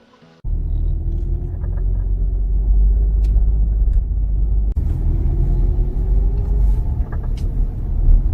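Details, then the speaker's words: 4th-generation Kia Sorento hybrid, underbody rumble with dull knocks and creaks when turning at low speed in low gear on a slope or driving over bumps. The cause is a worn transmission mount; the fix is replacing the mount assembly. "결론적으로는 미션 마운트 쪽 손 미녀 2 솜이 09:00 설파 4 제대로 2분들이 안되 거지 원인이라고 합니다"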